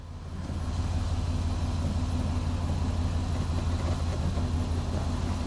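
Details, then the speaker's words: 2005 Mazda Tribute (Ford Escape), after torque converter replacement: neutral to drive and rolling off, steady low hum, no thump or clunk; transmission engages cleanly. "We're in reverse and we're rolling. Oh, we're rolling. If I give it a little gas, it'll go. Neutral to drive."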